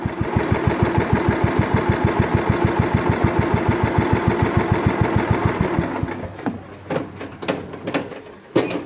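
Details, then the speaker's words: Scotts lawn tractor built by John Deere, 16 hp Kohler Command engine, hydrostatic drive, after repairs, idling after a test drive so it won't backfire; even low thumping about three pulses a second, no surging or popping, then shuts down cleanly. Normal idle. "now I'm going to let it idle for a short period of time so when I turn it off it doesn't backfire"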